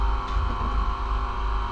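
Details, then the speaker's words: School bus pre-trip check with engine off, brake pedal pressed: steady low electric motor hum with even whir, no knocking or surging; electric hydraulic brake assist pump running normally. "All you have to do is push on your brake pedal and you're going to hear it. I hear my hydraulic electrical assist."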